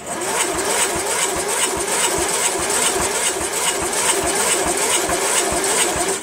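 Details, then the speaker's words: Cub Cadet MTD lawn tractor with new battery, solenoid hard-wired from the ignition switch to bypass safety switches: steady cranking, about three compression strokes a second, for six seconds with no firing. Owner unsure whether battery charges or cranking is fast. "I don't know why the battery doesn't seem like it's charging very well or does it seem like it's cranking very fast"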